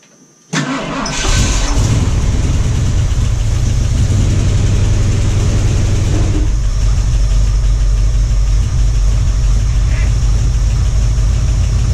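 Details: 1978 Ford Bronco V8, first start in about two years: quick crank, then a deep, steady, even idle. Owner says the earlier clatter is gone. Starts and runs fine.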